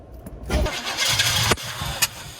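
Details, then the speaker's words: 1977 Chevy K10 truck that sat 14 years: about a second of cranking catches with a surge, then stumbles and dies. It fires but won't keep running; ignition timing, or the system not being pressurized, is suspected. "Almost. Yeah, I think it's just because it could be timing. I didn't bring my light. And it could be because this isn't pressurized."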